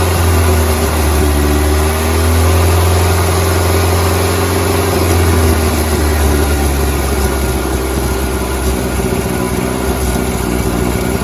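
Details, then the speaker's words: 1988 VW Polo MK2 Breadvan with the cleaned carburettor: idle rises and falls as carb spray hits under the air filter housing, showing a suspected air leak at the carburettor flange causing the running issue; a replacement flange is to be fitted. "And as you can see, when I was spraying the carb spray underneath the air filter housing, it was revving up. That flange, I think, is letting air in, and that's causing the running issue."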